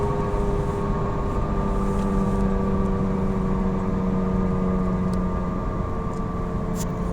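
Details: Falken FK510 tires: heavy low drone with a steady hum on top while cruising, constant with road speed; loud tread noise suspected from the tires, not confirmed.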